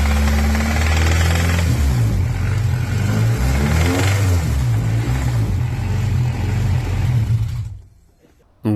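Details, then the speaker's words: Honda Civic with swapped B18C6 engine: heavy deep knocking about four times a second under the idle, low in block; ran fine weeks earlier, cause unknown, bottom-end knock. "voilà, vous l'aurez compris, le le moteur s'est mis à claquer de ouf sans raison en fait parce que il y a de semaines auparavant, il fonctionnait très bien, il démarrait très bien, il y avait pas de problème."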